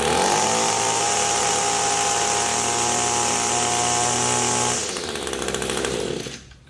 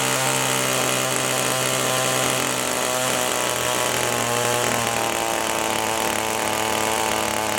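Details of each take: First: Echo two-stroke tool before adjustment: clean, even high-revving howl held steady at full throttle, winding down smoothly on release; powers up well, could be tweaked slightly; normal full-throttle run. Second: Echo two-stroke power tool held at full throttle while high-speed mixture screw is turned clockwise; screaming note sags lower then climbs back; rpm drop from lean high-speed mixture setting.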